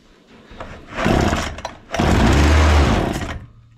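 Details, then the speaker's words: Husqvarna 236 chainsaw that stalls when the throttle is released, test run after refitting the carburetor, choke on: two short bursts of running, then the engine fades out each time instead of holding idle; stalling at idle. "Yine duruyor. Sanırım motoru bu şekilde çalıştırmak zor."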